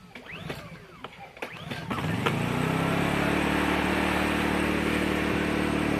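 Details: Honda generator, about 12 years old, pulled from months in storage: several quick recoil pulls with no catch, then it fires and settles into a steady run at about half choke; hard starting after storage.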